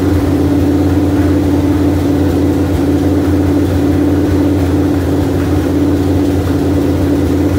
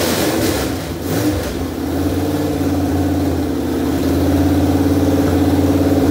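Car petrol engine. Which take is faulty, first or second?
second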